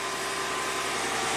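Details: Chrysler Crossfire after a jumper wire was added in the relay module: the engine catches from the key and settles straight into a smooth, even idle with a steady hum and no misses or knocks.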